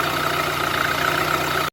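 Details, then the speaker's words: VAZ 2112 1.6 petrol engine after cylinder head repair for a cylinder 4 misfire, likely a burnt or tight valve; now idles steadily and evenly with no misfire or knocking. "Короче, завів машину после капримента головочки. Все чётенько, работає, ровненько."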